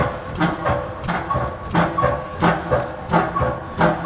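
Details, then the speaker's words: 1998 Chrysler Town & Country van rocked while checked from underneath: dull clunk with a light creak about once a second, an exhaust hanger contacting the leaf spring as the source of the suspension noise. "so what I noticed while Brian was moving the van is it looks like this little exhaust hanger was coming in contact with this leaf spring go ahead Brian and that looks like the source of our noise right there right"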